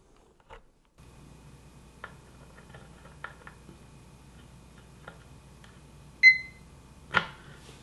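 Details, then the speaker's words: Uni-T UT161D 6000-count multimeter in diode test mode: faint clicks, then a short clean high chirp as the probes bridge the diode. The beeper chirps normally on Schottky, small-signal and rectifier diodes and even on LEDs. "very nice here's the shoty diode and it chirps also here's the small signal diode and it chirped here's the rectifier diode and it chirped with that also"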